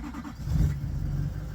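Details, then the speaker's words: Truck in cold weather, cranked after its battery sat overnight unplugged from a NOCO 2-amp maintainer; a heavy, labored low churning as it turns over sluggishly before catching, so the battery is weak and going down. "well it done okay then the sitting overnight I came out here and cranked it and it was a little bit um weak"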